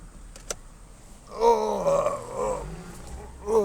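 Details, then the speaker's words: Lincoln Town Car at about 58°F with a power steering leak, later found to be a leaky pressure switch; deep groaning moan rising and falling with each wheel turn, steering hard and loud. "boy, this is hard to steer. Here we go. Here we go. That steering is loud."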